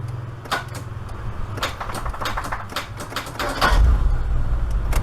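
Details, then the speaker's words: Proton Saga Iswara starter with badly worn brushes: scattered sharp clicks about every half second with no cranking; starter clicks but won't crank. Owner suspects the worn brushes and considers replacing the whole starter. "Well, that isn't good. At least it's clicking though. It could be the brush, you know, the brush is like really worn."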